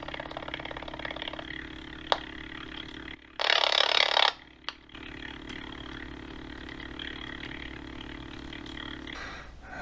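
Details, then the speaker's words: Sony Dream Machine ICF10W solid-state radio probed near the antenna: steady low buzz with a sharp crackle burst on one side's transistors while others are clean, pointing to cold solder joints there. "I know the transistor here hear buzzing noise buzzing noise there's one of the transistor here let's check it see all this tree this side they're making those buzzing sound but here is fine that is fine which one is failing"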